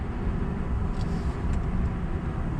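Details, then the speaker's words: Lowered GMC Sierra extended cab cruising: a steady low rumble and hum from the tires, noticeable but not loud; owner attributes it to no-name Chinese-brand tires. "there is some tire noise those tires that I swapped for there's some like no-name weird like off Chinese brand they make noise not too much but they're not quiet whatsoever"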